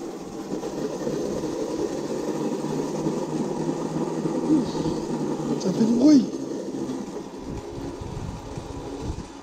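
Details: Old electric pedal go-kart with a 120A alternator converted into a 36V 500W motor on a 36V 18Ah lead-gel battery, pulling away in first gear: steady whirring drone with rough rattly chatter; noisy chain drive, transmission troubled by high torque.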